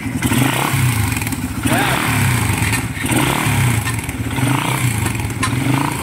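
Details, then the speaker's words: Raider 150 motorcycle, cold engine before repair: busy metallic clatter over the exhaust beat at idle, disappearing once warm; focus is on the cam chain tensioner, timing chain rattle when cold. "Pag uminit sir, wala na. Oo, wala na pag uminit."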